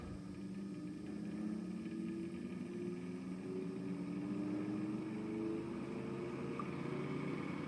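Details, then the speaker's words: An AC industrial fan run from a variac at about 75 volts makes a steady rushing airflow with a faint tone climbing as it speeds up, with no rubbing or rattle. It sat on wires on the floor, which amplified vibration; it is very quiet when lifted. "if I take it in my hand for instance or lift it off the floor it's actually very quiet you can barely hear it"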